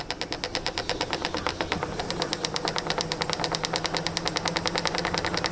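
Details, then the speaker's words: Washing machine on spin cycle. Fast, even rattling ticks at about eight per second come from the pressure sensor hose and wires slapping the cabinet body. The fix is to keep them away from the body and wrap them around the suspension rod. "इस washing machine के यहां पर यह pressure sensor के pipe इनकी body से कुछ इस तरह से अगर यह इस तरह से कुछ बजेंगे जो स्पिनिंग के टाइम पर कुछ इस तरह से"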